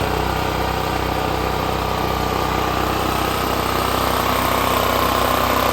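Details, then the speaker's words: Extreme Contractor Series 6,500 W (8,500 W surge) gas generator, almost 20 years old, on a replacement carburetor that doesn't fit properly; choke adjusted by hand to idle, steady even drone about three pulses per second. Idles only with choke held manually. "so really I'm having to move it adjust right here and that's how I got it idling the way it needed to be"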